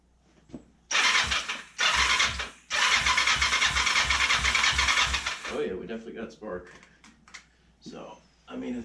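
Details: Kawasaki Ninja 500, choke on, little fuel in tank: two long stretches of fast even cranking with no catch; crank no start, spark present, compression believed fine, fuel supply suspected.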